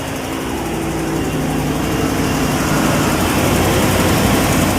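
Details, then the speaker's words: 2014 GMC Savana/Chevy Express crank-no-start with P0230 fuel pump relay code, new pump and relay fitted, battery voltage boosted: engine catches and runs with steady even rumble, no stumbling or misfire; runs normally. "Let's start this up. There we go. So it runs."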